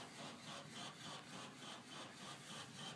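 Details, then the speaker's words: House water pipes: steady rasping chug pulsing about 3.5 times a second, thumping felt on the water heater cold line and main line near the pressure reducer valve; cause unknown. "if I touch the pipe right here off of the water heater is the cold line I can feel it thumping"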